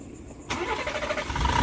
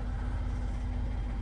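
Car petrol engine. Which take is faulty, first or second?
first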